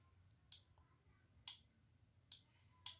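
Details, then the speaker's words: Adjustable car aircon thermostat bench-tested on a 12 V battery: sharp, crisp relay clicks as the knob is turned, meaning the green wire output has triggered; a thermostat with no relay click is faulty, so this one works. "Ayun, may tumunog. Ibig sabihin, nag-trigger na dito sa kulay green."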